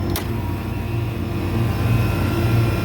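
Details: Walk-in cooler condensing unit that was at 60 degrees, after new condenser fan motor (direction reversed), cleaned condenser and new contactor: steady low hum of compressor and fan with brief start click, no chatter or buzzing; normal running.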